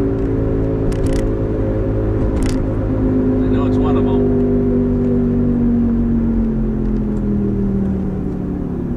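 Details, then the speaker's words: 2005 Toyota Matrix AWD, steady droning howl like an airplane under road noise at cruising speed, pitch sliding slightly lower; camera belted in the back seat near the noisy rear corner; owner suspects a worn rear wheel bearing and bought a replacement. "well i bought a bearing for it because i thought it was a wheel bearing i guess you can hear it and the plane was howling like an airplane in the back"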